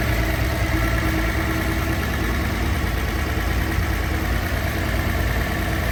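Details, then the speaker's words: Idle after rebuilding the Solex Mikuni Type R carburetors with new main gaskets; before, they leaked, the cabin smelled bad and it ran below par. Steady, even low idle with no misses, surges or knocks; runs smoothly. "But yeah, very, very stoked. My first 3 ever carb rebuilds seem to go pretty okay."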